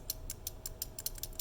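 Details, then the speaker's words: Early prototype 3D-printed key switch: sharp clicky keystrokes with a loose, slightly rattling edge. The switch became too loose after being pressed on. "it's a little rattly because i've i messed around with it it's a little too loose because i pressed on it but that's what one of the earlier prototypes sounds like"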